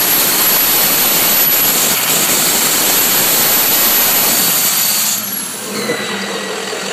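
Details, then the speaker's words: Diesel truck, warm, VGT turbo commanded up by scan tool, under throttle: loud high airy squeal and rush over engine, easing off as load drops; turbo issue. "I'll command the vgt which is take the turbo command the turbo up now listen to this squealing let me know if you heard this under throttle"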